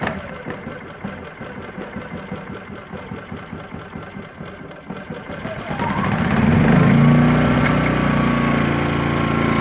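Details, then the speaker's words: New Sportsman GEN2000i 2200 W inverter generator, first recoil start on choke, economy mode off, mic near camera: rapid cranking chuffs, catches on first pull and settles into a quiet, even hum with no misses. "Holy cow. First pull. This thing is really quiet, okay? I'm right next to my camera, but this thing is not loud at all."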